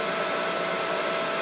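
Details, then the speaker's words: Mikini 1610L with a replacement inverter-duty AC motor on a Hitachi VFD, run at full speed 120 Hz (roughly 5200–5500 rpm). Steady, even rushing whir with a faint constant tone, no knocks or rubbing; normal cooling fan noise on top of the motor. "all that noise is just the fan on the top of the top of the AC [Music] motor and then we're back to uh base frequency more or less"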